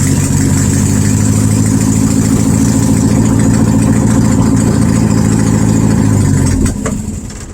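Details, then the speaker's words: 1972 VW Super Beetle air-cooled flat-four, no exhaust fitted, 51°F, after starter and ignition work: loud uneven chugging, sags and dies after about six seconds without foot on gas; owner suspects choke, previously ran perfectly. "I don't know why it's still running. It won't stay running unless my foot's on the gas. It's probably the choke, but this thing was running perfect."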